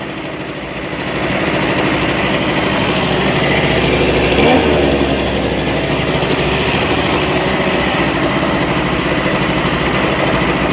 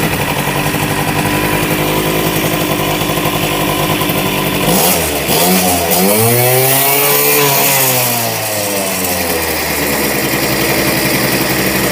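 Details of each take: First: 1988 Honda Vision Met-in 50cc two-stroke scooter, kick-started after its carburetor was removed and cleaned: buzzes fast and steady with no throttle, never dropping to a slow tickover; idle speed set too high before adjustment. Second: 1988 Honda Vision Met-in 50cc two-stroke scooter, after carb removal and cleaning, kick-started, idle just adjusted down from high: revs sag briefly and recover, then a steady, even idle with no misses.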